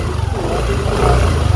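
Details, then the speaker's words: Yamaha NVX/Aerox scooter with rough engine noise, after replacing broken cam bearing 61906 (SKF) pressed into cam: low even engine pulsing rising and falling with throttle, grinding gone; engine now smooth and quiet. "Oh oh lembut dah. Okey kita okey hilang dah bunyi tu."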